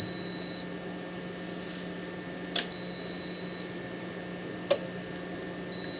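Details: Inform-brand UPS after repair of error 01 (failed at initialize, no output), on test: high steady beeps about a second long every couple of seconds with relay clicks between; output now 238 V, set to 230 V, working normally.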